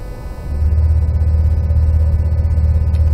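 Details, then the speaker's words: Lexus LS 400 air suspension with the engine idling, switched to high position. A steady low compressor hum comes in and holds even as it lifts the rear then the front over about 20 to 30 seconds depending on load; healthy, with no knocking or strain. "hear the compressor kicking in. It starts with lifting the back of the car and then the front. And that's the car in high position. It takes about 20 to 30 seconds depending on the load."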